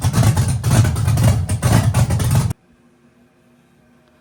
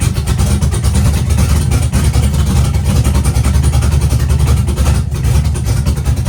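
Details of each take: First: Chevy truck with big-cam V8, on new tune adding timing to the startup table: loping unevenly about two beats a second, idle hunting and stumbling; rough idle, owner thinks idle could be raised, timing suspected. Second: Chevy truck with V8 revived after sitting for years, no water pump fitted, while adjusting ignition timing toward ~25–30°: deep even rumble, no stumbling or misses; running smoothly, much better than before.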